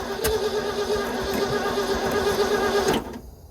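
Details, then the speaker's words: 1960s Ford F-750 dump truck on its first firing, with fuel poured in and a rock-hard fuel line. Ragged, uneven running with a wavering note that dies off after about three seconds; suspected fuel starvation. "It sounds like it needs a lot of fuel. Probably like the gas can method."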